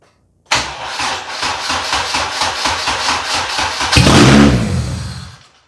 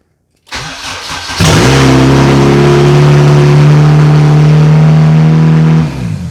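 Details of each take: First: 1996 JDM Honda CR-V RD1 automatic AWD with K24 swap on a Hondata KPro base map; the starter cranks about three seconds, then the engine catches and flares and dies abruptly because the failing ignition switch cuts the ignition. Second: 1996 JDM Honda CR-V RD1 AWD with a K24 swap, automatic chassis, running a Hondata KPro base map, at first start. It catches after a short crank and settles into a loud, steady, even run with no misses or knocks.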